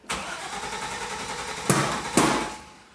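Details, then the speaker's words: Turbo LS1 Z28 Camaro (VSR 7875 turbo) on a start attempt with a new ECU while street tuning. It cranks and catches, then stumbles twice and fades out without settling; they suspect no cam sensor reading. "Yeah, it's probably not getting a cam sensor reading then, if it does that."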